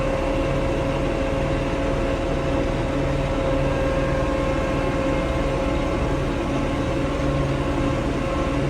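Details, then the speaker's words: Diesel tractor that went into limp mode, capped at 1500 rpm instead of 2500, and stalled: uneven, lumpy beat with a steady whine. Rough running; strainer and water separator showed water and slime in the fuel. "tractor started running rough look at this strainer oh this is really a two-handed shot there's definitely some crap in there"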